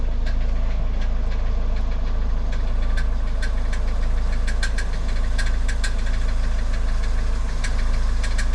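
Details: Car with about 200,000 km, knock appeared after transmission (CVT) replacement: sharp metallic ticks about three per second over steady idle; starter gear striking flywheel teeth.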